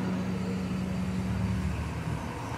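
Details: Fiat Uno idling steady and even with no misses after repair; it had lost power and popped when cold, with an out-of-range MAP sensor and a lean lambda fault, and now the MAP reading, injection time and oscillating lambda are all correct.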